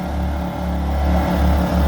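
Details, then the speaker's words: Two generators with electronic speed control on a prototype external-vented fuel cap test, as a heater is switched to 900 W: deep, steady engine drone swelling slightly as both pick up the load smoothly, normal response. "so you heard both generators the electronic speed controls reacted to that they uh they loaded up both generators to uh take that load"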